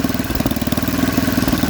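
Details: Snapper 8 hp 26-inch snowblower, first run with a mangled pull cord, auger working: a steady, even low putter with no misses or knocks; normal running, fairly healthy.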